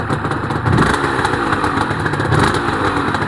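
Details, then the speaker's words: Honda NSR250R-SP MC18 two-stroke during restoration, JHA pipes, just started: crisp ringing note rising and falling cleanly with throttle blips, even and strong; normal revving. "Wow, those pipes sound Those pipes, JHA pipes, sound lovely."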